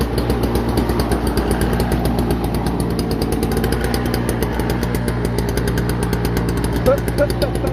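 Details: Toro CCR2450, 141cc R-TEK two-stroke engine on mixed gas, after carburetor cleaning and fuel line work on a no-start: quick, even putter holding steady speed under background music, running cleanly with no misses.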